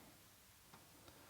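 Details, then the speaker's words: Early revision 3 Amiga 500 under repair, after reseating connectors: floppy drive gives a few isolated crisp ticks as head steps but won't read a known-good disk; bad solder joints near connectors suspected. "but now we get a tick from the disk drive"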